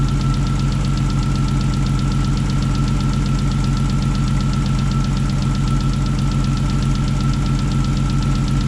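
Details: Rebuilt 3.2 VR6 in a Mk4 Golf R32 idling at its first start after the rebuild: even, steady low drone with a faint constant whine and no irregular knocks. Idles smoothly and healthy.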